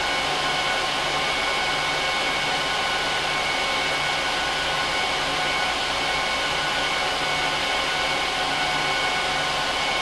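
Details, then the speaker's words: HP ProLiant DL380p Gen8 server (24×4GB DIMMs, eight 300GB 10,000 rpm drives in RAID 5, both PSUs, no cards) during POST/boot: steady, loud rushing airflow with faint fixed tones, no rattle or grind; fans flat out, normal at startup. "I'm going to let it run through a full post and boot up so you can hear how loud it is"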